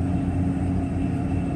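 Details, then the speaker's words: Mercedes S600 coupe V12 cold start after repairs, previously ran on only six cylinders: smooth, even hum at raised cold fast idle, air pump noise audible, no knocks or misfires. "of course this is cold start so rpms are high"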